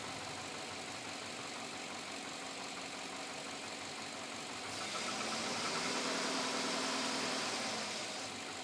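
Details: 2007 Chevrolet Avalanche at about 86,000 miles, steady idle with a sharp, regular light knock about 200 a minute over heavy hiss; owner asks whether it is knock or piston slap, unresolved after four dealer visits.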